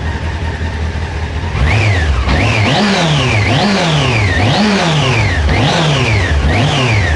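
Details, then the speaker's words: Honda CB600F, about 26,000 miles, after repairing a misfire on cylinder two: repeated quick blips climb smoothly and drop back evenly, with crisp response and no stumble or rattle. The engine runs healthily. "Engine sounds lovely."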